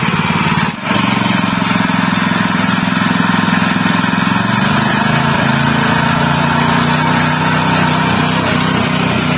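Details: General CX 160 (5.5 HP) single-cylinder stationary engine that had been fouling spark plugs black and stalling quickly from excess fuel. After new spark plug installed: steady, even putter, smooth firing, no misses or surging; normal again even at high throttle.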